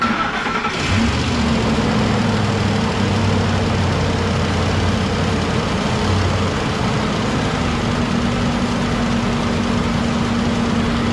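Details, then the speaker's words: Ford 5.4 V8 after repair with customer-supplied parts, just restarted: catches within a second and settles into steady even idle with low rumble; injectors clicking a little loud, possible lifter tick on one side. "Looking good, sounding pretty good. Those injectors are a little loud."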